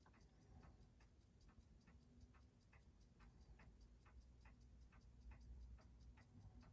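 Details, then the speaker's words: Seiko 4006 27-jewel JDM Bell-matic after restoration service (was barely running before), day two of running: crisp, even ticking with steady beat and no knocking; great amplitude and steady output, a healthy movement. "it's just been running and you can see we've still got great amplitude and it is still this output is very steady which is exactly what you want"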